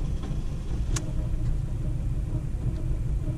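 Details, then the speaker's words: 2007 Ford Fiesta 1.4 TDCi diesel with cylinder 1 injector unplugged: deep, lumpy, loping idle rumble that is even worse than before, with the camera shaking. Owner concludes the cylinder 1 injector is good and cylinder 2 contributes only a little. "but it does feel worse like it's even more lumpy now if you can see the camera shaking um that's that's even worse"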